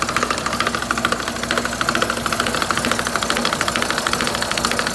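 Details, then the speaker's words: Car in drive or first gear with the brake lightly applied, giving a steady rhythmic knocking about two a second over engine hum as the wheel turns; the inner CV joint is knocking and will be replaced. "Вот и можно выявить что наружную что внутреннюю в данной ситуации внутренняя всё"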